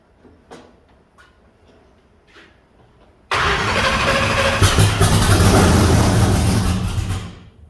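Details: Blown big-block Chevy on methanol fuel injection with fuel pressure problems. After a quiet clatter it barks alive with an uneven, lumpy beat of about 214 per minute, misfiring on startup; the second bank of eight injectors is not working.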